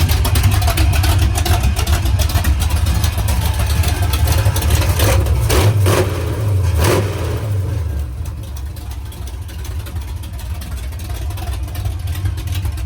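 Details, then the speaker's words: Rebuilt V8 race car "Trash Can" on first fire-up after a rebuild with new pushrods and set lash, reading 14.7 air-fuel: rough, loud idle with a loose metallic rattle that also rattled briefly at shutoff. Owner unsure whether the starter is stuck or the header collectors are vibrating. "Something doesn't sound too great. I don't know if the starter's stuck or if it's the header collectors vibrating."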